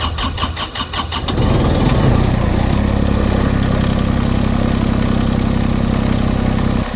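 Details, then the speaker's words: LeeBoy 1000 paver diesel that started then shut down, after the fuel system was primed (some air possibly left): about a second of cranking, then it catches and settles into a steady, even idle without stumbling. Battery low. Normal start. "okay we can also has a little air in there should be okay wait to start"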